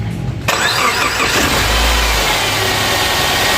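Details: Subaru Forester from auction, fire damaged, after installing a crankshaft pulley from a used donor engine: engine catches on the first try and settles into a smooth, even run with no wobble, knock or slapping; normal start and idle.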